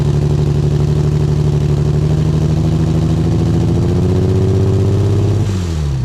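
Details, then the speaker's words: Single-turbo Nissan 350Z, first start-up: lumpy, uneven idle with a loping beat about four per second and wavering drone; owner suspects a large vacuum leak, not found after checking injectors and hoses. "all right guys as you guys seen i sounded like [ __ ] there's a huge vacuum leak somewhere"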